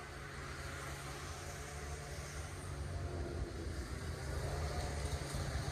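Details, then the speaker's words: Polaris 500 Widetrack snowmobile unstarted for about six months, jump-started from a booster after pulling the plugs and adding fuel: it fires quickly and holds a low, steady, even rumble without stumbling. Normal idle. "I'm just blown away that it started so fast we're going to go give it a test"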